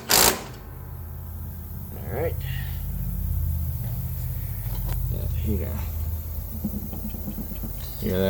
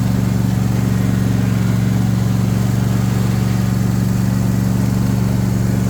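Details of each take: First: John Deere S130 mower deck running: steady low drone with a faint rough hum underneath, possibly from a spindle bearing with play; the noise went away after the blade was refitted. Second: John Deere S130 mower after spindle and blade work: steady, even engine hum with smooth low drone and no squeal, chirp or rattle; the earlier noise went away, running normally.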